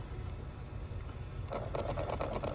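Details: 2005 Toyota Sienna with no heat (AC fine): fast dry plastic clicking over cabin hum when the temperature is changed, from a faulty heater part; removing the part restored heat.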